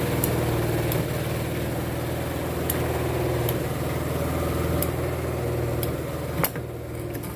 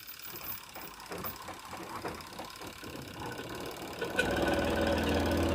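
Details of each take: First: Sharp EST85CL washing machine spin dryer after repair of loud thumping during spin (suspected worn plastic joint lining, weak springs, soft or torn tub rubber seal, or uneven load); loaded spin now a steady low hum, faint light ticks, no knocking. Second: Sharp EST85CL top-load washer on spin: rhythmic thudding three or four times a second as the drum wobbles and knocks. Suspected worn plastic joint lining, weak springs, soft or torn tub seal, or uneven load.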